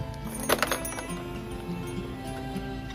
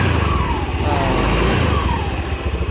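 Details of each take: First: Honda Beat FI (first-generation injection) scooter, engine started and revved: coarse marble-like rattle from the CVT, traced on disassembly to a worn bearing in the CVT cover. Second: Honda Beat FI scooter, early injection model, after replacing worn CVT bearing and part that caused marble-like rattle: even idle with a steady low throb and smooth blips, no rattle from the belt drive; transmission now healthy.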